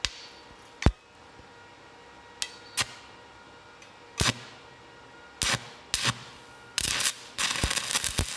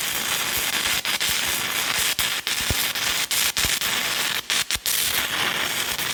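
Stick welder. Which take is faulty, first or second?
second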